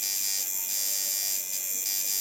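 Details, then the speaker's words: Watson coil tattoo machine on the power supply at 6.9 volts, while voltage is being tuned: a steady, thin high buzz with a light stroke; the needle is not hitting hard enough and is only suited to soft shading. "not hitting hard enough I'm at 6.9 with this it's a little harder you could do some uh soft shading with that"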